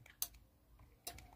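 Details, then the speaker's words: Arno Ultimate fan control board under repair, 25 V supply working, motor disconnected: two sharp clicks less than a second apart as the relay pulls in on the remote command. The relay switches normally. "Fiz até um barulhinho aqui do relé. Aqui não dá para saber se o restante da placa está funcionando, porque está desconectado aqui o motor."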